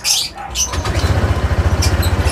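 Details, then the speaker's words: Honda ADV 160 scooter started after fitting a stainless skid plate (bolts torqued to 49 Nm), checking the exhaust pipe for leaks: steady, low, even putter with no hiss or puffing; normal, clean idle, no exhaust leak. "Okay naman siya. Okay. Wala naman siya singaw. Tama lang."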